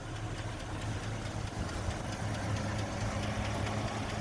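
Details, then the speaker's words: GMC Envoy Denali LS V8 with a suspected broken DOD system, after about 300 miles towing: lumpy, uneven rough idle with a faint rapid tick, possibly lifter noise, over a deep rumble; not running happily. "It wasn't super happy."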